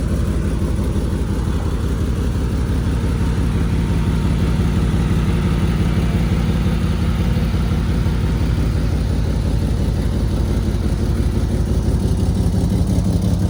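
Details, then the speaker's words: Alfa Romeo GTV, much louder than usual: very loud, deep idle with a rapid puffing beat; a leaking exhaust gasket, loose hangers and bad test pipes were found and replaced. "We're also gonna try and see if we can figure out this exhaust leak that I have, because the car was never this loud. It sounds like an Italian NASCAR that's cammed with a V8."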